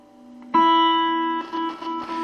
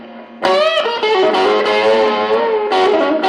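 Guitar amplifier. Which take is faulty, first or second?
first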